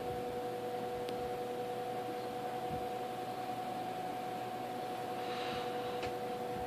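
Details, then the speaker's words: 1958 General Electric twin window/box fan, restored from trash, running up to speed: steady high whistle over a soft rush of air, no rattles; normal resonating motor winding whistle typical of these GE fans. "let it get up to speed but whistling noises del winding sound these General Electric boxing's of the unit bailing modos have the winding sound it's resonating from the winding"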